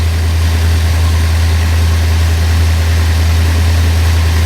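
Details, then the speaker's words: A 1956 Ford Thunderbird V8, first start after about 5 years of sitting, settles into a deep, even warm-up idle with no knocks or misses; a fuel leak was spotted, but it fired up quickly. "But she runs. I'm actually surprised on how well she fired up and how quick she fired up."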